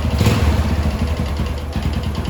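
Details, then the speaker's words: Yamaha Jupiter MX (old) after installing new clutch plates and plates, kick-started, idling: steady low putter with even firing and no odd clatter; normal idle. "dengar Apakah ada suara-suara aneh dalam mesin ini"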